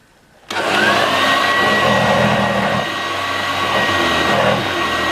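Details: 1986 Vorwerk VK 117-1H upright vacuum cleaner after cleaning and repair, its old belt having worn out with age: motor switches on and spins up to a strong, steady whine without surging; runs properly.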